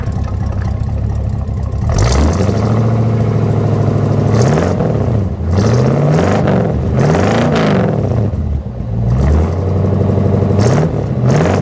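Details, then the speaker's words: V8 replacement engine for an old square-body Suburban, running with a home-made exhaust: a deep, even idle with several clean blips that rise and fall smoothly, no knocks or misses. A healthy engine. "Oh yeah. Listen to that. I have to say, it does sound pretty good."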